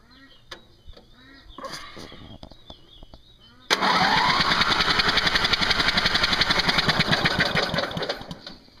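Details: Craftsman with non-starting Briggs engine, cranked to clear fuel from the spark plug port; plug smells of fuel, spark untested: quick even cranking beat, three to four turns a second, with no firing. Cranks but no start.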